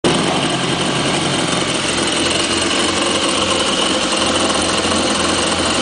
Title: Exhaust leakage - Kawazaki Jet Ski Arach